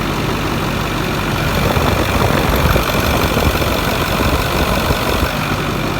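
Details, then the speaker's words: Ford 6.4 diesel dump truck shortly after a cold start, not yet warm: steady, even clatter at idle with no knocks or misses; cat boots checked with little blow-by, a normal cold idle. "it's not warm yet we're gonna dig pretty deep into this"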